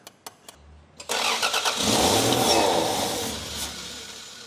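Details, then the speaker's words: 1989 Toyota Supra MA70 Mk3 with a 7M-GTE, on its first start after 6+ years sitting: a few clicks, then a rough burst that fades instead of idling; suspected no fuel pressure, only burning residual fuel, with TPS and airflow meter also questioned. "You know what this could be doing too? If we haven't got fuel pressure here too, we're just burning off residual fuel that we've just filled the manifold."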